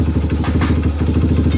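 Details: Honda CRF150 with a freshly rebored, new piston, kept to low revs: the single-cylinder idle thumps with a coarse, shaky pulse, and slight engine vibration is felt. A possible hard balancer noise is mentioned but unconfirmed, so the cause remains uncertain.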